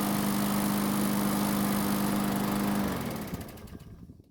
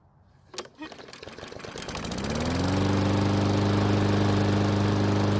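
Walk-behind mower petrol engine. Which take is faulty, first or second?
second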